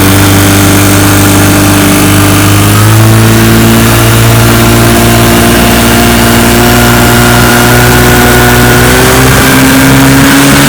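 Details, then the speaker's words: 1955 Johnson Seahorse 10 hp outboard, mechanically restored (ignition, carburetor and lower unit rebuilt), under load pushing a 14 ft john boat about 18 mph: buzzing drone climbs in pitch on throttle-up, then holds evenly, running strong. "so so she's a good one he pushes my john boat my 14 foot john boat here about 18 miles an hour which is awesome for 10 horsepower"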